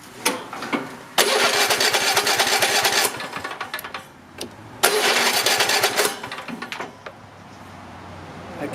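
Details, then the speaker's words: Nearly new Cub Cadet XT-1 with a Kohler 7000 series 22 HP V-twin, hot after running: two long stretches of starter cranking, each a couple of seconds, that never catch because the choke was not pulled; hard start without choke. "forgetting to put the choke up so you choke that is an overwhelming success"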